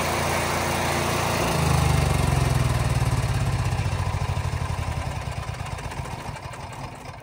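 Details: Onan 4000 watt RV QG generator after tune-up and draining overfilled oil, previously surging and stalling: steady low single-cylinder thump about three beats a second, no hunting; running smoothly.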